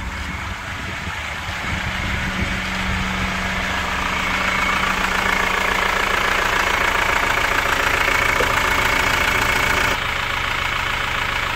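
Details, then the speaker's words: Chevrolet Captiva diesel (FL C140) at steady idle after total cleaning and injector service, sharp even knock about three or four per second; traced to faulty injectors 3 and 4, still usable for daily driving. "Nah itu suara knocking yang kita dengar itu adalah masalah di injektor nomor 3 dan nomor 4"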